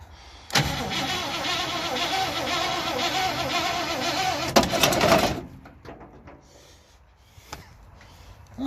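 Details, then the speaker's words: 1968 Impala, 327 300 hp V8 with Turbo 400, not on the road for almost 40 years, fed fuel by bottle into the carburetor after cleaning the points: catches at once, runs fast uneven idle about five seconds; first start after storage. "guy told me that this car hasn't been on the road in almost 40 years"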